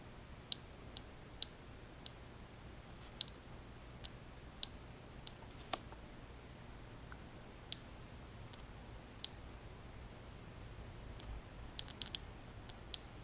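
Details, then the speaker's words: 1989 Lotus Esprit Turbo fuel injectors bench-tested on 12 V: three click cleanly, but one makes brief high buzzes instead; the fault is unknown; testing followed a dangerously overheating catalytic converter. "one of the injectors actually made like a buzzing noise the other three injectors made like a clip and power as a block and one that made the buzzing noise"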